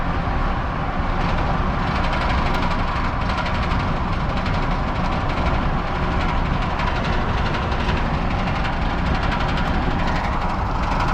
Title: F250 6.7 engine knocking noise